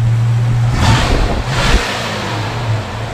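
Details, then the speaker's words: 1969 Dodge Dart GT with dual exhaust, which starts easily: it blips up from a steady idle and settles back cleanly, smooth and even with a deep exhaust note; healthy revving. "good dual exhaust sounds good and we wrap it up here again in the back going to wrap it up you know has a great sound"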